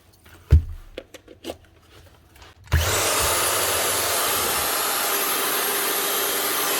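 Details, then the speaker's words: Old Makita 9069 9-inch angle grinder after new bearings and a second-hand head, test run before greasing: a few taps, then a smooth even high-speed whirr with no rumble or grind; healthy after repair. "now we're happy out give it a quickly test make sure it is running"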